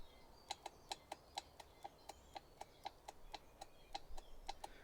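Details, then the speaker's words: Generac Ultra Source 15000 generator with a no-start fuel issue, fuel solenoid valve bench-tested on a small 12 V battery: crisp clicks about four a second; solenoid switching properly. "and it makes noise so we're gonna we're gonna get the microphone closer so you can hear what it makes"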